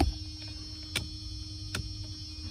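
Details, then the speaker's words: Newly installed replacement headlight switch on Mercedes R129 SL: three crisp, positive detent clicks about 0.8 s apart as it is pulled out; one pop gives headlights and fog lights, a second pop also exists; normal switch detent clicks. "So I'm gonna pop it out again. I don't know if you could hear that. Now it's 2 pops out."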